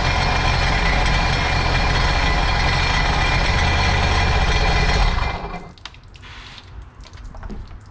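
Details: Supercharged 2009 Sea-Doo GTX 215 jet ski, after replacing the cracked cylinder 3 coil: loping idle missing a beat every few firings, then shut off. Cylinder 1 still misfiring; owner guesses a clogged fuel injector.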